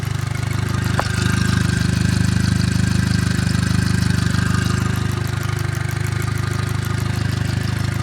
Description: my 2008 gli with 241k developed a ticking noise at warm idle, goes away with any application of throttle.